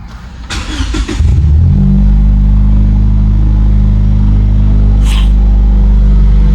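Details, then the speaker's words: 2016 Lexus IS300t, first start after replacing the valve cover gasket and spark plugs. Quick crank, clean catch, then a smooth, deep, even idle with no ticks or misses and no check engine light. "Everything looks good on the engine bay and everything like that. There's no check engine light, and yeah, so there we go."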